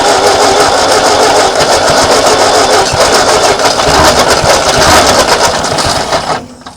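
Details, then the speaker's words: 1939 Ford tractor that sat in a field 20+ years, first start attempt in about 40 years; long steady cranking with only scattered weak firing that never catches. Owner suspects too much poured-in gas, or later running out of gas. "it's probably got too much gas in there because I poured so much in so it's gonna have to turn over a little while before"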